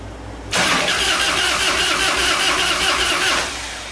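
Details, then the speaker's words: 1997 Harley-Davidson Fatboy V-twin that would not run: steady starter whir spins it about three seconds with no firing; crank no start, ignition module believed bad, coil resistance near spec, replaced with Dyna 2000i. "as you can hear I can spin it over as long as I want"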